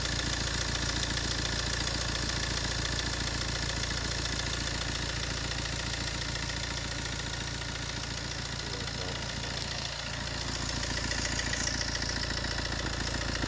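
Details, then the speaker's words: 1.3 Multijet diesel idle with fast, even metallic rattle about three or four per second; worn-out timing chain, seen stretched to its limit through the inspection window, chain replacement needed. "bir ü zincir sesi arkadaşlar duymak isteyenler şu an bitmiş bir zincirin sesini duyuyorsunuz"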